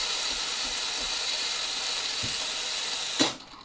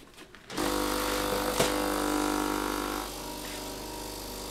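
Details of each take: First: Philips LatteGo espresso machine during milk frothing: a steady steam hiss for about three seconds that then cuts off. Such valves still make the first milk but steam keeps hissing inside, so the leaking water valve needs replacing. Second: Philips LatteGo espresso machine after reassembly, brewing test: pump starts with a steady buzzing hum, then drops to a softer even drone as coffee is made, nothing failing at the back; normal brewing cycle.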